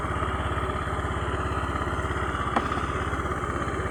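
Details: Honda Beat fuel-injected scooter, rough-starter type, in for stumbling on initial throttle: after the starting system is back to normal, it gives an even, quick putter at steady idle with no stumbles or misses. Normal idle.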